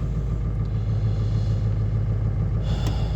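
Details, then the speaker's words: Ford 7.3 Powerstroke diesel, cold start about 50°F unplugged, after new glow plug relay and reconnecting glow plug harness in head: deep steady idle rumble, even pulses, no knocks or misses; sounds fairly healthy. "motor doesn't sound the greatest but I don't think it sounds too bad"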